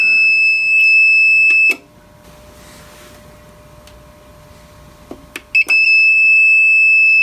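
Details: APC Back-UPS 550 found in a dumpster: steady shrill alarm tone that drops out then returns at power-on with the battery refitted; output measured 13.69 V, confirming a battery fault.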